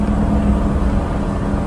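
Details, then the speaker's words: Truck after repair of a bad exhaust manifold leak, recorded from near the cab while under load and driving. A low, steady, quiet drone with no ticking or puffing. "And this is how quiet it is while it's under load and driving."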